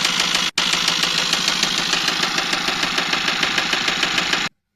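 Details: Eicher truck diesel engine breakdown: fast, fairly regular knocking about three per second over harsh clattery roar; heavy noise suspected at piston, coolant cooler checked; cause not confirmed.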